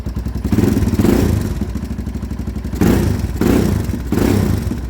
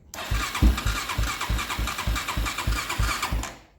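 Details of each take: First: 2001 Honda 400EX, running again after an unexplained stall/lockup, choke turned down: strong, even single-cylinder thump at a steady beat with a few clean throttle blips, no knocks or clatter; normal running. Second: 2001 Honda 400EX ATV after engine locked up and was freed by turning backwards 1/4 turn; owner suspects one-way bearing, cause unknown: engine catches and chugs at loose uneven three beats a second, then cuts out.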